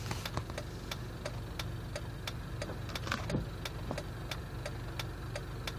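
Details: Jeep at idle: low, uneven idle with a light, steady tick about three times a second over the hum; rough idle.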